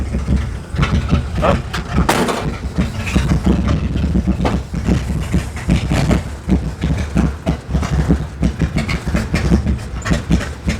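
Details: Lowered Ford Galaxie V8 that runs poorly, cause not yet found, fires right up; lumpy idle with irregular stumbles and uneven puffs breaking rhythm every second or so; intermittent misfire at idle.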